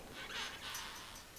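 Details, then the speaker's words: Honda CBX engine teardown, sat long and found seized: faint thin squeaks as piston number 6 is slid by hand through its cylinder with surface rust, the worst bore but moving freely; may need a rebore. "There's a little bit of surface rust on this one. Number 6 is probably the worst, but it does move freely. You can hear a little squeak."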